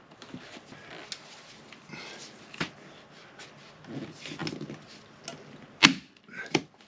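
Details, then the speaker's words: Staple gun fastening vinyl overhead during an Endeavour 52 sailboat refit: faint rustle, then two sharp hollow snaps with no staple driving home, suspected to be the gun firing empty, out of staples. "so you could hear that sound that sounds like we're out of Staples"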